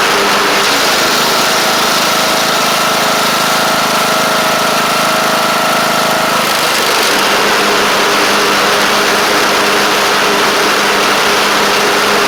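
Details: Craftsman LT1000 Briggs Intek engine at a steady, even idle of about four beats a second, with a slight pitch shift midway and no knocks or misses; it runs good and shifts great. A double-stack pulley is suspected bent.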